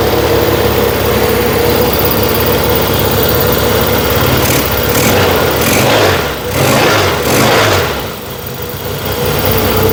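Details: Yamaha XS1B twin during carb and ignition tuning, after choke: runs fast and steady, a short blip then settling high with no drop toward slow idle; idle speed racing, cause not confirmed, to be turned down before timing check.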